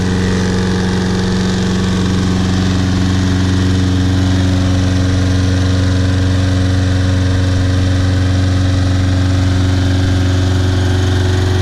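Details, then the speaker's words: Trash-picked Toro Personal Pace Recycler self-propelled mower after carburetor cleaning, tank flush (old dried gas, some water), brittle rubber seat replaced and new air filter; steady even drone at constant speed, no hunting or surging; runs great. "runs great very nice mower bought it back to life"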